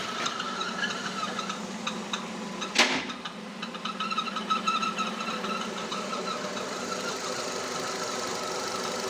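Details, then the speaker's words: Nissan Terrano (same as Renault Duster), 47,000 km, at a quiet, steady idle: high, thin chirp that comes and goes, seeming to come from the flywheel or release bearing area. Crankcase ventilation valve chirp; it disappears when the dipstick is pulled to relieve vacuum. "Вы знаете, в чём причина? Вот этот клапан. Выхлопные газы из картера."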